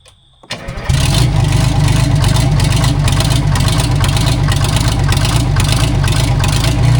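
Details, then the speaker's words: Vintage Detroit Diesel 6-71 cabover semi truck start: cranks briefly, catches quickly and settles into steady even deep idle, no knocks or misses; healthy-running engine. "It's pretty freaking cool it runs. Again, I mean [snorts] I knew it ran but honestly this is one of the nicest running 671's I've had."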